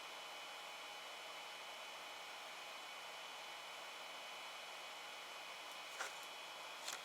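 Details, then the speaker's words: Ender 5 Plus 3D printer after selecting cool down: a soft, steady airy whoosh as the fan comes on, quiet, with no rattle, tick or pitch wobble. Healthy fan. "let's press cone cool down it's gonna say yes fun i heard a fan come on so it's pretty quiet"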